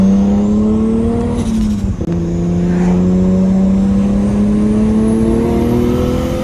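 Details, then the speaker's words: RB20 2.0 inline-six fitted with a second-gen Cummins HX35 turbo: engine pulls hard through a gear change with a clean rising turbo whistle as boost builds from 3 to 19 psi over 1500 rpm after fixing leaking wastegate flange clamps; normal, though still laggy, spool. "and that's why it feels like such a surge when this turbo finally goes online"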